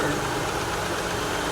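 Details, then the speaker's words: 2005 Land Rover Freelander, Rover 2.5 V6, about 50,000 miles, bought sight unseen and coolant a bit low, idling with mic placed at engine: steady even idle, no misfire or knock, engine working normally. "that sounds like an Eng guys that sounds that sounds like an engine I think the engine the engine's working the engine in the Freelander is working"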